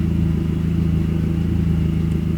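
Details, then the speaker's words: VW 20V running Speeduino with a recycled idle air control valve switched to PWM at 200 idle frequency: a steady idle with a constant low hum over the engine note, the valve buzzing at its drive frequency. "let's see if it still has the hum when the car's idling"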